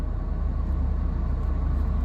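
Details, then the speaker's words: 2007 Hyundai Azera 3.8 V6 with 198,000 miles, just started with a check engine light on: smooth, even low rumble with no knocks, ticks or misses; runs steady and healthy. "God, it runs just as good as mine does. Oh, yeah. That's the crazy thing about these 3.8s and these Hyundai. You just can't you just can't kill them, man."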